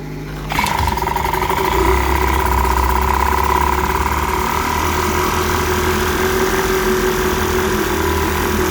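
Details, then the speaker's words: 1946 Elgin 1.25 hp air-cooled two-stroke outboard in a tank test on ethanol-free fuel, after cleaning a varnished tank, carburetor and fuel line, cleaning the points and adjusting a touchy carburetor. It catches and settles into a steady, even buzzing run: healthy. "it started up and seemed to run pretty good once I got the carburetor adjusted"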